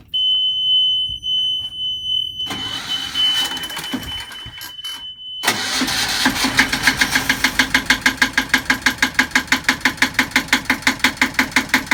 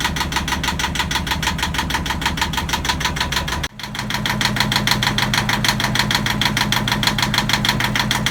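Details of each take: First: Sailboat Yanmar diesel, first start attempt after first fuel in tank, new batteries and priming: warning beep, then steady starter chug about three turns a second with no catch; cranks without starting, cause unconfirmed. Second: Yanmar marine diesel on a sailboat at its first start after fresh diesel, new batteries and priming: even, steady idle clatter that dips briefly then settles smoothly, healthy. It ran about five minutes, then stalled from air in the fuel lines.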